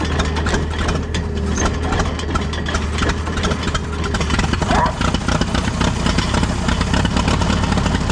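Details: Allis Chalmers tractor, believed late-1940s WC or WD, possibly 6-volt positive-ground system, first run after roughly 15–20+ years sitting: low, steady idle hum with no hunting or dying; normal idle.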